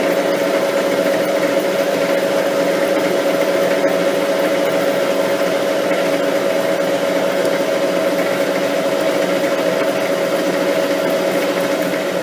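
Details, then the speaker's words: Lathe turning a lapping arbor, lathe slowed and steady rest fitted to stop the chatter heard on light cuts: even, continuous cutting hiss with one faint steady tone, no warbling or squeal; smooth cutting without chatter, followed by a spring cut. "That's improved things dramatically. We'll just do a spring cut."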